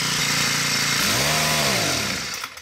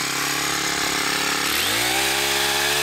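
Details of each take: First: New Poulan Pro PP428S string trimmer with PP5500P pole saw attachment, small two-stroke screaming up and falling back unevenly at full throttle; factory carb set too lean, high-speed screw turned in too much, starving it of fuel. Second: New Poulan Pro PP428S two-stroke powerhead with PP5500P pole saw attachment, after carb adjustment for factory lean setting; revs cleanly to a crisp high buzz in bursts and drops back to idle each time; running healthy.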